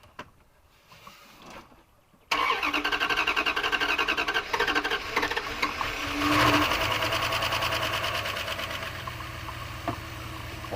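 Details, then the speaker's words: 1997 Dodge high-roof van, 360 V8, automatic, sat 5+ years, temporary battery fitted: brief cranking, catches at about two seconds, settles into steady even run; normal cranking and start. "yep does she crank oh we're turning I hear your turn signal"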